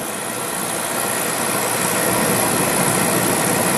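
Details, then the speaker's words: Beckett oil burner with Carlin Pro-Max control, two-pipe pump, oil safety valve, fan running, door open: even steady roar at light-off with faint igniter spark sizzle still running; normal oil burner firing. "all right three ignition 3 seconds 1 second blade oil valve Houston we got ignition all right now you can hear you can hear the uh spark still going"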